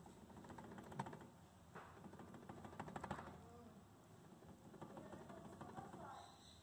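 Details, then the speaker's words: Chevrolet Cruze/Cobalt/Onix-type front brake caliper: loose irregular metallic clicks and knocks as the caliper bracket rattles against the brake pads on worn guide pins. "Esse barulho que vocês estão ouvindo aí é justamente a folga dos pinos aqui, tá? E esse conjunto todo aqui fica balançando, batendo nas pastilhas de freio, tá bom, gente?"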